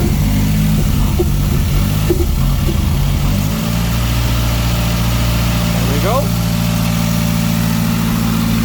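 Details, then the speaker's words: Mazdaspeed after fitting a CST5, Bayson R, Coolboost meth kit and intake, first startup after the Accessport cleared codes. Steady, even idle with a smooth low hum and no knocks or ticks. Smoke is residue burning off the turbo hot side, not a leak. "Okay guys, this is the first startup. Hopefully we've done everything right. Sounds good so far."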